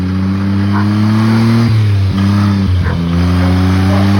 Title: buggy video… no its not the engine knocking, its the drive coupling to the gearbox